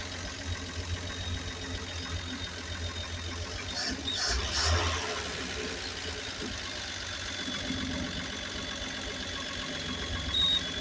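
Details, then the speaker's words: Grumman Kurbmaster step van 292 inline-six, sitting 22 years, rat's nest cleared from air cleaner and carburetor, six quarts of oil added, fuel fed from a bottle: settles into a low, fairly steady idle with small catches, no heavy knocking; it runs. "292 runs I go clear out there the back box just been working on it it's still dirty doing pretty good though I think this thing's going to run just like it [Music] is"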